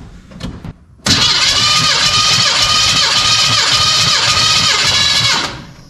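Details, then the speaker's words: 1985 Chevy C10 with a 307 small-block V8 and Quadrajet carb, compression test: strong, even starter cranking for about four seconds with a steady beat per compression stroke; healthy compression. "Okay. 145, so like 145. Huh. It actually hit 145? Yeah. That's pretty good."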